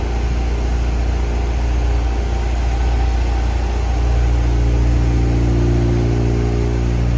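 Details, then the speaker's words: Barn-find Mazda RX-7 rotary engine, first run after 25 years following a complete rebuild: fast, steady idle with a smooth low drone held above normal idle speed; idle is high because the TPS hasn't been set yet. "She's running, boys. Listen to that purr. It sounds so good. >> And idle's a bit high, but keep in mind I haven't set my TPS yet."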